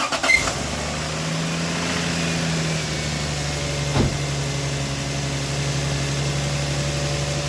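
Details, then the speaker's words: Lexus GS300 that wouldn't start days after previous work, cylinders sounded flooded, timing belt checked and intact, a loose vacuum line found: catches and settles into steady even idle with no misses or stumbles; normal idle, runs smooth. "but it runs and it runs smooth"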